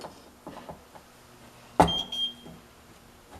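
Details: Ultrasonic cleaner that had quit mid-cycle, now tested with its damaged cord grounded and no water in the tank: quiet handling noise, a sharp click, then one short high steady beep as it powers up; switching on normally, likely a poor connection before.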